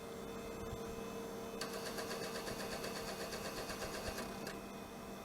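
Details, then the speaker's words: AT&T Globalyst 630 (Pentium 100) floppy drive after cleaning: a thin, fast whirring buzz for about three seconds over mains hum with no stepping clicks; the worm gear spins but the head doesn't move, owner suspects it is seized. "Yeah, the drive head isn't moving at all. It's just, the worm gear is spinning like crazy, but yeah, it is not moving the head at all."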